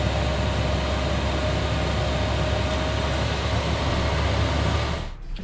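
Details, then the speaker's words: Chinese diesel heater in a Sprinter van after running at maximum, set to 30 degrees, then switched off: steady, even fan whoosh with a faint constant tone, winding down and stopping after about 5 minutes. Normal cool-down. "There we go, it's off. So that took about 5 minutes to sort of cool down and then turn itself off."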